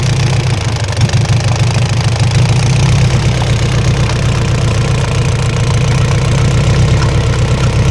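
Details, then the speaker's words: Isuzu 4BC2 diesel jeep idling in neutral: steady hard clacking in time with idle over deep rumble, worse under slight load; traced to inside the injection pump, not the engine. "Sige sige sige sentensya an nakita na nakita na ah sa loob ng injection pump ang naririnig natin na lumalagutok at wala sa loob ng makina kaya tatanggalin na ang injection pump."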